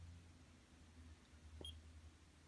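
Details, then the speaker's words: Blue light therapy acne pen (415 nm, one AA battery, heats to 42°C): one short high beep over faint room hum, the normal signal that the pen has switched on and is working. "hear this sound listen to the beeping sound it means it's working"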